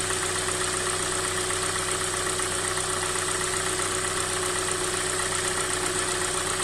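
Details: 2016 Hyundai i40, 2.0 G4NA, 50,000 km, dealer-serviced on 5W30, recorded cold: light, fairly regular tapping of about 160 per minute over the idle; a dealer teardown found no fault, so the cause of the cold-start knock is unknown.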